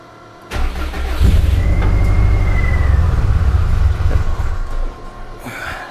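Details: Yeti snowmobile engine on first start with new Link G4+ Thunder ECU, after pre-oiling, unstarted about six months: cranks briefly, catches, runs rough and uneven at low speed; hard start, fuel settings need adjustment.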